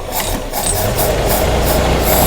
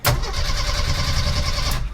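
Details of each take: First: 1987 Jeep YJ 4.2L AMC inline-six, carbureted, sat 7+ years: revved, it settles at raised uneven speed and never returns to idle; accelerator pump inoperative, owner thinks it runs rich, possibly wrong carburetor. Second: 1987 Jeep YJ 4.2L AMC inline-six, carbureted, sat 7+ years: brief even cranking whirr under two seconds on the key, steady and unlabored; starter turns engine properly.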